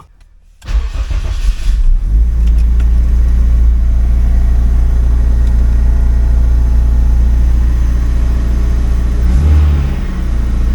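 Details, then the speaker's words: Turbo Acura RSX Type-S just fitted with Walbro 450 fuel pump on stock assembly: pump primes loudly, then engine cranks briefly, catches right away and settles into a smooth, even idle with a steady low note; healthy. "Alright, I'm going to go ahead and prime it, and we'll hear if it primes. Oh yeah, that thing's nice and loud."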